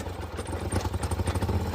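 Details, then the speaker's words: Polaris Sportsman (titled 850, called a 570 in the shop) at idle: an uneven beat with occasional skipped firing, a light misfire. It was fixed with new spark plugs and plug wires. "It's got a skip to it. So, let's see what's going on. Mhm. Definitely got a little misfire."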